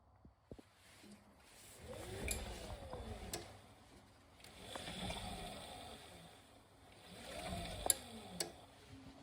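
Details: Beko Aquatech WMY91466AQ washer inverter motor after fix (wavy bearing tension ring bent wider to stop motor bearing clicking): motor surges smoothly through three short spins with water sloshing, no clicking.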